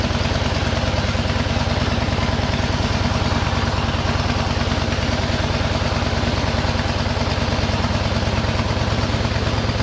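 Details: 1913 Harley-Davidson motorcycle started up: crisp, even beat of a small motor running steadily with no knocks or rattles; a good, tight, healthy old engine.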